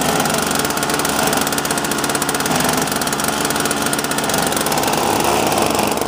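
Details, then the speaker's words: Toro Powerlite two-stroke snowblower after repairs (fuel system overhaul, fuel and primer lines, new carb fuel bowl, intake gaskets, spark plug, drive belt): steady crisp buzz at constant high speed, even beat, no misses or surging. Normal running. "all over the spinning fine. Looking great, no problem."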